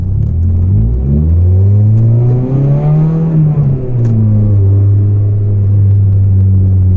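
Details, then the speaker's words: Volvo 440 driving with broken, loose exhaust section, rattling worsening, fumes entering cabin: deep, loud droning roar swelling with revs and falling back; exhaust leak. "people do hear me coming now I also smell exhaust fumes it is getting into the car a bit lovely"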